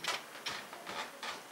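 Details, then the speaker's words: Walthers mainline model locomotive with heavy momentum set: quiet motor hum broken by short raspy gear chatter about every half second, grinding only once in a while; owner plans to lubricate, cause unconfirmed. "it's running pretty well like i said though it'll just do that grinding once in a while as part of its not so smoothness but"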